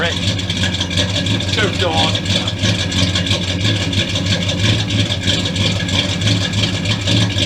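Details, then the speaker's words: Dodge Dakota after a V8 swap, first fire-up with a newly fitted exhaust kit and tips; deep steady V8 burble with firm low rumble and even pulse: normal running. "here we go let's fire this up oh [Music] [Music] oh that sounds real good"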